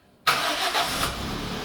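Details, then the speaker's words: Toyota engine started with fuel pressure allowed to build first: brief crank, fires instantly and settles into steady even idle within a second; clean healthy start. "typical toyota that's beautiful you can't knock that"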